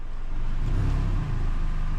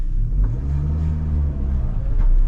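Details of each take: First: 2012 Hyundai Elantra after a new flex pipe and tightening the untightened flange gasket, light revs while parked; deep even exhaust note, no puffing or ticking at the flange, though a small leak remains further back. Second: 2012 Hyundai Elantra, loud again days after a new flex pipe install. Engine revs up and falls back with a loud, raspy low exhaust rumble, worse in higher gears: exhaust leak at a flange under the front.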